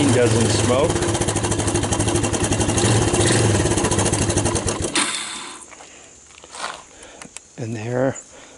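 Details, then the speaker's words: 1999 Suzuki Quad Runner 160 ATV after AC-to-DC CDI conversion and harness rewire, choke set, fresh gas; small single revs up quickly, holds a steady even putter about five seconds, shuts off cleanly, normal idle. "you can see starts right up runs pretty good does everything it's supposed to"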